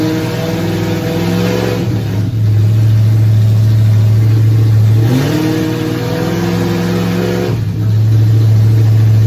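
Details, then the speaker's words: Nova race car V8, first fire-up in 38 years after priming fuel system, timing being set: deep steady idle with smooth throttle blips rising and settling cleanly, no knocks or misses; healthy, but coolant leaks found at water neck housing. "okay we see we got it does run but we've got a couple of uh leaks here on the water system"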